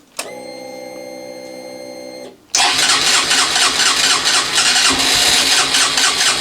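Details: Honda CB125F with bent frame and many worn parts, started after repeated fuel priming: fuel-pump hum, brief crank, then the engine catches and settles into a steady, even tick-over. Normal idle, though noted as not the healthiest.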